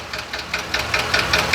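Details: 2020 Ford F53 motorhome chassis, 7.3 V8 gasoline, P0301 misfire code, noise began while driving; sharp ticking knock about five per second at idle, heard at cylinder 1; valvetrain suspected; engine knock.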